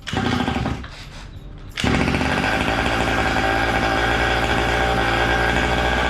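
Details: Gas-powered Losi Desert Buggy XL RC buggy with new aftermarket performance exhaust, kill switch and receiver: brief quiet spell, then loud raspy buzzing two-stroke note settling into a steady high idle; runs cleanly.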